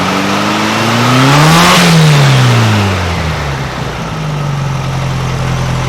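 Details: 1956 VW Beetle air-cooled flat-four with Solex carburetor after valves readjusted to 0.006in: steady even beat climbing smoothly with throttle, dropping back to settled idle, no valve rattle; well tuned, accelerator pump possibly binding.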